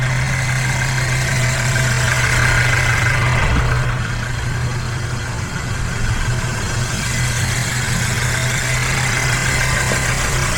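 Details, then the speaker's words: Car idling during service (cabin filter replaced, coolant bleed, oil change; check engine light was already on): a steady, even low hum with no knocks, misses or hunting. Runs smoothly, like a freshly built sewing machine. "She's running mint like a freshly built sewing machine."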